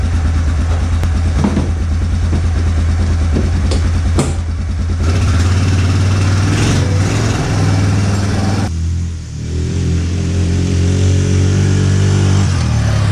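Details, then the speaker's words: Yamaha ATV that sat for a while, battery dead, jump-started, oil checked clean: single-cylinder idles evenly with steady low thud, picks up cleanly on blips, no knocks; runs perfect, nothing wrong. "yeah this thing runs perfect there's nothing office"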